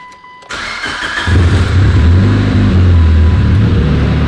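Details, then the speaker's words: Mitsubishi Evo after drive-by-wire conversion with Evo X pedal: short crank, catches within a second and settles into a steady idle; previously it started and died repeatedly because the idle air control valve was junk. "you hear how much easier this thing starts? Before it would start and die like 800 times because the IACV, the idle air control valve, was junk."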